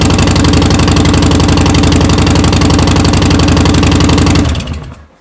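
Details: Harley-Davidson Softail Slim with new Vance & Hines BigShots staggered exhaust, standard baffles, FP3, S&S Stealth air cleaner: loud, deep, loping idle with even pulses about four a second until switched off. Normal idle.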